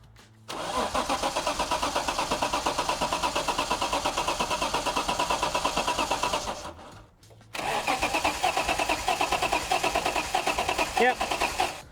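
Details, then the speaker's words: Nissan R31 Skyline that sat for years. Steady starter cranking near three beats per second stops and starts again without catching or firing. Sticky solenoids or dirty contacts are suspected, with about a two-minute delay between key-on and the starter getting current. "The skyline cranks, which is a good sign. Um, there's clearly some sticky solenoids somewhere because it's about a 2minute delay between turning the key on >> and the current getting to the uh to the motor, but uh we've got an engine that is turning over on its own."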